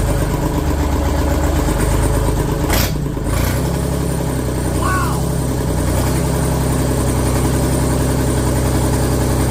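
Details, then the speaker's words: Deutz F3M1011F three-cylinder diesel just after rebuild, first start: catches immediately and settles into an even, steady idle with no knocks, misses or hunting; successful start. "I call that a success ladies and Gent gentlemen sheesh I mean that was just immediate freaking awesome awesome awesome I'm happy with that"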